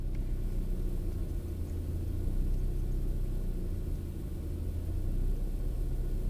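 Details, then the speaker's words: Opel Astra G 1.6 16V X16XEL, idle hunting after choke ends until coolant sensor reaches 68 °C (here about 37 °C), no fault codes; low rumble rising and sagging instead of holding steady, matching lambda graph. Later traced to faulty engine control unit. "Spójrzcie teraz zamiast zostać tak faluje sobie i faluje"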